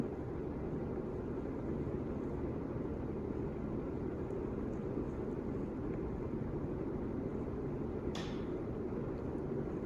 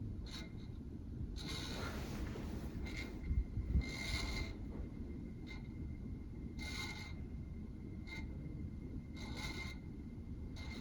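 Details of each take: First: 1985 Casablanca Victorian Gallery Edition ceiling fan, 40 years old, on high speed in reverse; steady, even whoosh of heavy airflow, helicopter-like, with no ticking, rubbing or wobble thump; much less wobble than forward, running normally. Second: 1985 Casablanca Victorian Gallery Edition ceiling fan, 40 years old, on speed three; quiet hum broken by a soft scraping rasp about every 1.5 seconds. Owner hears bearing noise and thinks it needs greasing; sound went away at higher speed.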